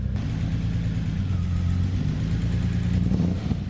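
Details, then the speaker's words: BMW E30 running after a jump-started battery, following no-start trouble the owner had suspected were the injectors. Strong, even engine note rising and settling smoothly with throttle, no knocks or misses; running healthy. "I didn't get it on film, but it's running, baby. Let's go. Woo! So cool. Sounds awesome."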